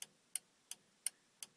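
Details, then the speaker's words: Hubler Dromader G-10 before start, engine stop switch latch lifted to test the stop solenoid, heard through the engine cowling; six sharp, even clicks about three per second, no engine running: solenoid working normally. "and we can hear that echo the solenoid echoing through the engine cowling"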